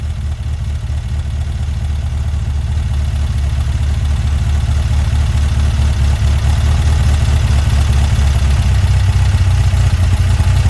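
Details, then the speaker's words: Weber 44 IDF carburetor on a Herthing, with idle jets just resized: deep, steady idle rumble with a low even beat and no stumble. Idle is now set, but throttle hesitation remains, judged to come from main jets that are too small. "all right so idle set he's good to go now we gotta all we gotta do is uh fix that uh hesitation when you hit the throttle that means that your uh your jets your main jets are a little too too uh small"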